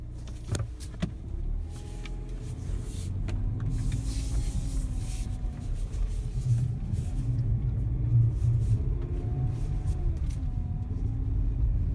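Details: 2017 Mazda CX-5 accelerating: thin whine rising and falling with road speed over low engine rumble; dealership says it's normal, owner disagrees.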